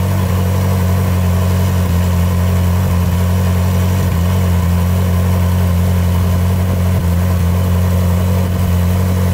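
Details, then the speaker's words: Ferrari 458 Spider V8 idling after the EVAP purge valves were replaced: a steady, deep hum. The constant ticking from the old noisy purge valves is now gone. "that is definitely quieter The Purge vales being replaced has definitely got rid of that ticking sound there was a ticking sound a constant ticking sound from those Purge valves that noise is now gone"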